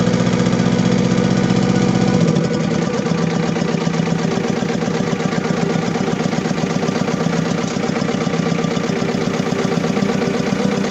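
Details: Diesel engine with low power, black smoke and engine vibration, idling with an uneven, lumpy beat of about four pulses a second and a shaky low rumble; misfire from a fuel system fault that needs fixing.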